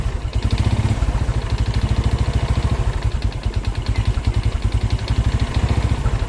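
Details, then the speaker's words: Old Honda Karisma motorcycle engine never opened, rough engine noise: steady idle with fast, even deep metallic knock on every firing stroke from the bottom end, indicating a loose connecting rod (stang). "suaranya seperti itu ya teman-teman indikasinya sih suaranya nih di bagian stang"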